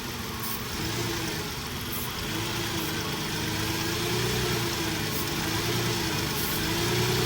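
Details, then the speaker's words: 2005 Nissan Quest V6, cold engine with P0300 random misfire and P0174 lean codes: uneven misfiring idle wavers and climbs when brake cleaner is sprayed near the EGR, revealing an intake vacuum leak. "So that's how it sounds a vacuum leak. Even if it is leaking from here, that's how it's gonna sound."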